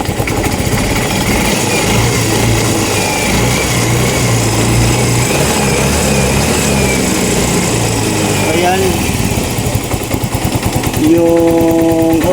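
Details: Yamaha Mio i 125 (M3) single-cylinder that misfires and smokes, with the TPS reading 74 after setting to 66 and the O2 sensor not reaching 1 volt: putters unevenly with an irregular beat and stumbles. Misfire attributed to rich mixture.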